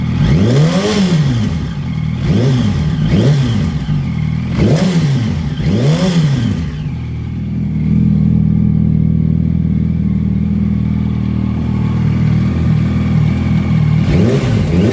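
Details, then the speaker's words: 2008 Yamaha YZF-R1, 14,000 miles, warm, side cover off: light metallic rattle on top of the engine during blips, toward the front/exhaust side of the valve train. Owner rules out the manual cam chain tensioner and valve adjustment; cause unknown. "yay so yeah it definitely sounds like it's on top of the engine um uh this sounds uh more valves made in between the gas tank it's not a cam chain tensioner"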